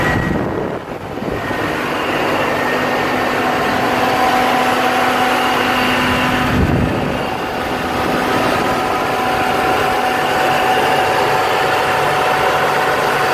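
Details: 2001 Jeep Cherokee Sport XJ, 4.0 inline-six, 234,000 miles, just after idle air control valve replacement: smooth, steady idle sitting fast near 1000 rpm with a faint whistle; owner suspects a vacuum leak causing the high idle.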